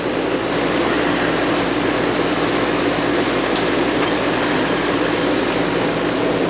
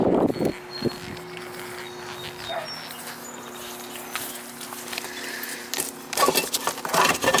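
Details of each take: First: Goodman R22 AC condensing unit, outside unit previously not running, after repair and thermostat reset: steady even fan whoosh and smooth low compressor hum, no clicking or chatter, lines sweating cold; normal running. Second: Goodman R22 AC condensing unit outdoors not running while indoor fan runs: steady electrical hum, compressor off, from a cooked, blackened contactor not pulled in; pushing it in engaged it, contactor to be replaced.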